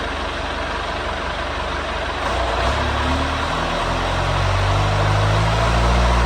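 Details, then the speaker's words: Swinger 3000 loader diesel after the exhaust manifold and muffler repair: even, steady idle with a low, smooth rumble and no sharp exhaust puffing; much quieter than before, exhaust now sealed. "So, compared to what it had sent like before, that's a big difference."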